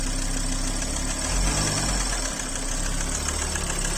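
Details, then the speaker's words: Car idling: fast, hard clac-clac knock at idle, something definitely knocking, rod knock; stop the engine immediately if you hear this. "les clac clac clac clac clac du ralenti sont très très élevés il y a forcément quelque chose qui cogne vous l'entendez vraiment bien"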